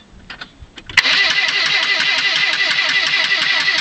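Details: 1997 Saturn, won't-start problem: starter spins the engine at an even four beats a second for three seconds without firing or catching; cranks but no start.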